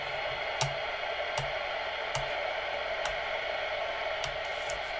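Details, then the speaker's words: Uniden Uniace 200 CB radio after replacement socketed PLL and full recap, previously missing even channels: steady hiss with soft periodic ticks and no dropouts, clean static of a healthy receiver with squelch open; now working perfectly. "there we are [Applause] absolutely perfect [Applause] no issues"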